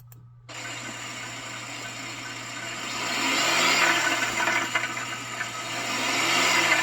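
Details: GMC Acadia engine revved twice with a metallic rattle over each rise. Owner asks whether the catalytic converter's insides broke into small pieces. Knocking noise, source unconfirmed.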